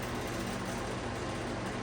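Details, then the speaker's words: Restored vintage McGraw-Edison Comfort fan fitted with spare Lasko HV blades to stop hub slipping on shaft, on low speed: steady roar with low pulsing throb and metallic buzz from rear guard; badly out of balance, not run faster. "Yeah, this thing is way out of balance. I wouldn't run it any faster, really."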